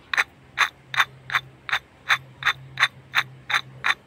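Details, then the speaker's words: 2012 Suzuki Alto K10, removed old water pump turned by hand: regular dry clicks nearly three a second; worn, rough water pump bearing, new replacement pump spins quietly. "So, ito yung maingay. Ayan, yung part na yan."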